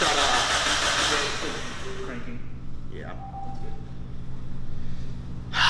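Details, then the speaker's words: Freshly built Mazda Miata engine, first start attempt, cranking: even steady churn with no thumps or knocks between strokes; sounds healthy, no knock. "i don't know that sounds pretty healthy i'm pretty happy about that yeah nice and clean no bumps no bumps no knock yet"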